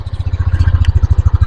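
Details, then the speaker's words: 2022 Yamaha NMAX idling with the microphone close, after replacing the connecting rod and piston: even low thumping pulses with no metallic knock. The earlier knocking is gone, confirming the connecting rod as the cause. "Oke guys, tidak ada suara trok-trok ya teman-teman. Jadi suara trok-trok sudah hilang ya teman-teman setelah diganti stang seher."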